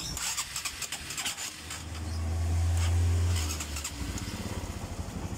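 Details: Honda Supra X 125 early fuel-injected (around 2008), hard to idle and using too much fuel: fuel pressure only about 30 PSI from a weak pump. The idle is uneven and stumbling, swells briefly with throttle, then falls ragged and dies when the throttle is released.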